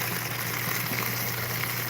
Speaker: now you can hear it like it's slurping it's slurping as it's pulling air in that's exactly what it should do